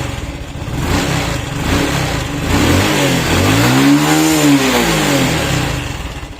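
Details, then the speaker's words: Honda Wave 110i motorcycle, hand-started and revved by hand: revs fine but will not hold idle, starts very hard and hesitates. Fuel pump, injector and spark plug were checked or replaced without fixing it, and compression felt low. Fault traced to the MAP/throttle-body sensor. "ครับเร่งได้ปกตินะครับแล้วก็เอ่อเสียงตัดอะไรช่วงปลายๆเนี้ยปกติเลยแต่ว่าSLโลว์ไม่อยู่นะครับแล้วก็ติดยากมากอันนี้คืออาการของเค้าเลยรถคันนี้ยิ่งอ่อสตาร์ทเท้านะครับก็ติดยากติดยากมาก"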